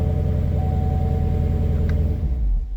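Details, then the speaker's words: 2016 Camaro SS after starter replacement, reassembled except the underbelly pan, battery post in trunk tightened: starts with no issues into a deep, even idle rumble with no knocks, clicks or grinding; healthy idle. "at this point we should be able to start her up and she should sound nice and quiet"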